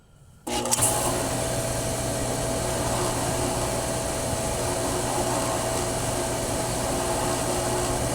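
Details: Pool equipment, booster pump with motor, camera placed beside it: after a moment of quiet the motor kicks on into a loud, steady hum with hiss. It was earlier heard squeaking; the owner suspects the pump, cause unclear.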